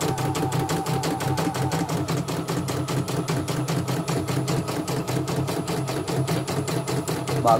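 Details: CNY E900 embroidery machine after motor replacement and sensor test: crisp, even stitching taps about six a second over a steady motor hum, with no skipped stitches; it runs normally.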